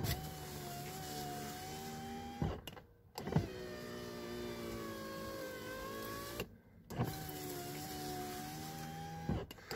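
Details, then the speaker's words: VAZ 2115 power window after cleaning the glass channel and applying silicone: motor runs up and down with a smooth, even whir, no squeak or rub; extraneous noise gone, normal operation. "замечательно посторонний звук не слышно"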